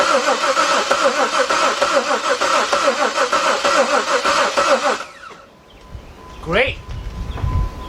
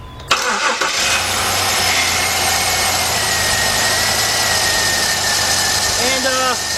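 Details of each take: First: 2003 Jeep Liberty Sport 3.7 V6 after a partial engine rebuild, fuel pump fuse pulled to crank and circulate oil before first start; steady, even chug of about three turns a second with no firing; normal cranking without fuel. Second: 2003 Jeep Liberty Sport 3.7 V6 just after a partial engine rebuild, warming toward operating temperature and smoking as old oil burns off; steady high-pitched whine over the idle, owner attributes it to the power steering pump; whine at idle.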